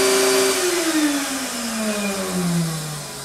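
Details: Astro Vac central vacuum power unit (Lindsey Manufacturing) in the garage, motor bearings reported bad at last service. Loud whining tone that sags steadily in pitch as the motor runs down.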